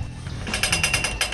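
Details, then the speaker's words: BMX bike, rocked by hand, gives a quick run of six or seven sharp metallic clicks. The owner first suspected a frame crack, but the welds were fine. Likely cause: a steering part over the headset bearing moving slightly. "e com base na minha experiência eu já tive uma bike que estava com o mesmo barulho e no final era uma trinca o Real motivo que tá fazendo esse barulho é porque tá criando uma rachadura aqui"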